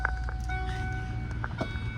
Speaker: That engine sounds good.